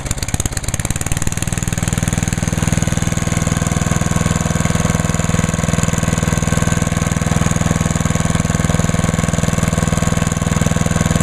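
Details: Start and idle of a small single-cylinder (1986 Lawnboy 8461 or 1998 MTD chipper/shredder), oil checked, TruFuel, on choke at half throttle; catches almost at once, then settles into an even, steady idle thumping about four times a second. Runs fine.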